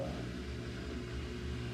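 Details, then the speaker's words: Samsung steam VRT washer drain pump after clearing the coin trap and drain hoses; it had stopped pumping. Steady low even hum with no rattle or grinding; the pump is spinning and moving water normally. "I hear the pump pumping, which I haven't heard in a long time."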